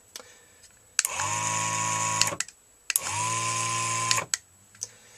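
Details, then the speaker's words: BEME e-Rod motorized curtain drive unit after replacing a failed relay and re-soldering: clean steady whirring gear-motor runs just over a second each in both directions; motor operating normally after repair. "then you plug it in if the yellow light turns on it's ready for testing there's one direction and the other direction"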